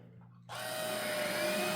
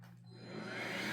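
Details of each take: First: Roomie Tec (Roomie Vac Elite) cordless vacuum after repairing flickering power-head wires and flipping the reversed plug: switches on abruptly, spins up to a steady, even whir; power head running normally. Cracked tube not yet taped. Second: Roomie Tec (Roomie Vac Elite) cordless vacuum after wire repair, wand plug inserted reversed: motor spins up to a steady whir but power head/beater bar not running, no brush roll noise; flipping the plug fixes it.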